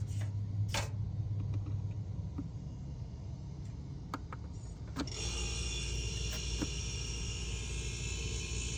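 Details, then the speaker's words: Refrigerator compressor run alone through a jumper lead with the control board removed and fan inoperative: quiet, then a low steady hum and faint hiss start and hold evenly. Previously it stopped when the board was installed. Compressor running normally. "so the unit is basically just the heart that is pumping no brain so plug it in take a listen to the compressor"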